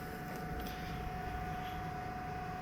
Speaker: but yeah that's the noise it mostly makes um I usually like I said I usually have this on so my fan noises usually are louder than that actual system